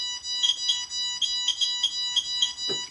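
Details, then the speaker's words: Radiation meter comparison (QSAFE QSF-104, RADEX, Smart Geiger) with a radioactive source sample: shrill chirps repeating rapidly about every quarter second. Rapid repeated beeping signals a high dose. "이게 삑삑삑삑삑 소리가 나는 중에 방사능이 측정이 돼서 삑삑삑삑삑 하고 소리가 들린다고 보시면 됩니다이 소리가 아주 반복되게 삐삐삐삐삐삐삐삐 하고 들리면 방산 수치가 높다는 거죠 어떻게 보면 선량이 높다는 겁니다"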